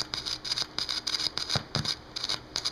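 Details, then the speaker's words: Panasonic RX-CS780 boombox: pressing buttons and some switches gives irregular scratchy crackle bursts, about a dozen in three seconds; dirty switch and push-button contacts put static into the audio and need cleaning. "you can hear that when i push that button and some of the switches do the same thing but i'm not going to screw with the switches right now they create some static so obviously those switches and push buttons and stuff need to be fixed"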